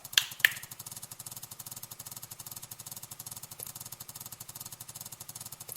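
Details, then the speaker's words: Bissell PowerFresh steam mop, pump tested on the high setting: quick, even ticking pulses, roughly four per second, with a light hiss, the rapid pulse expected on high, so the pump is pulsing normally. "And when you put it at the high setting, it should have a rapid pulse coming out of the pump."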